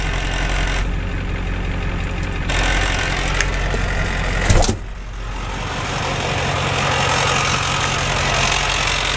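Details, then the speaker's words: 1990 Ford F250 7.3 IDI non-turbo diesel idling, recorded inside the cab with the door closed, after replacing the dual-mass flywheel with a single-mass one and new clutch: coarse rattle under the idle, loud in neutral with the clutch released; gear rollover rattle. "this is inside door closed this is the sound as the clutch pushed in the sound of the clutch released in the neutral it's much louder in person when it was in the"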